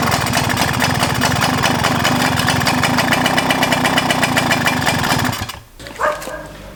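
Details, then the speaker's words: Suzuki JR50, possibly 1997, 50cc two-stroke, first run after freeing a sticky carb slide: loud crisp buzz at fast idle, even firing, no misses before cutting off; sounds healthy, though carb still needs rebuilding. "Well, it ran, and aside from the barking competition and the annoying children, I was actually able to like listen to it, and it sounds healthy, so that's good."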